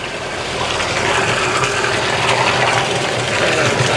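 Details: Texmo Aquatex 0.5 HP centrifugal monoblock pump HCS430 at just under 10 m head, drawing about 3.7 A: steady motor hum under rushing water, even, no knocks or rattles; runs normally.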